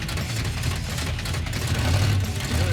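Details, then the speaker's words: Junkyard 1957 Chevy after fitting a new torque converter: deep, even engine rumble pulling smoothly with no slipping or flare under load; drives normally. "it is fixed dude it's freaking fixed it sounds pretty good too"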